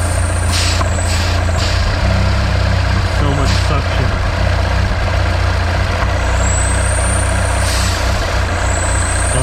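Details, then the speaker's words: 2014 Mini Countryman N18 after hose replacement and oil change: thin, high whistle rising and falling over a rough, uneven idle from the cracked valve cover, which epoxy repair failed to seal; vacuum leak, full cover replacement needed. "you can see now I have the valve cover problem came back you hear the whistle how bad it runs"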